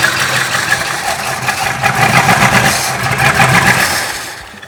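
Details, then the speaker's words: 1966 Ford Country Sedan 390 FE big-block V8 with new cam and used heads, cold, after fixing a brake-booster vacuum leak; lumpy, stumbling beat about four per second, better but not running on all eight; owner suspects valves. "I ain't happy. That doesn't sound right. That sounds just wrong. It's better than it was. But something is still not right."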